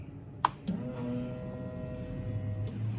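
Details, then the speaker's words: 2005 Honda CBR 600RR that sat 5-6 years, fuel pump replaced, won't start without starting fluid: key-on click then steady electric hum for about two seconds; normal fuel pump prime. "And now the problem we're running into, other than this key, is turn it on, everything's lit up. Hear the pump prime."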